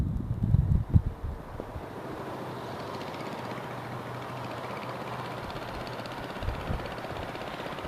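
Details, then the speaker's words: Baja Dirt Bug with an old worn 2 hp Briggs & Stratton side-valve engine replacing the China engine with a bad crank seal: after handling knocks, a low steady even drone, no knocks or misses; running fine. "sounds pretty good though I don't yeah there you have it that's a baja dirt bug doodle bug sort of thing with the two horsepower Briggs & Stratton side valve motor in it"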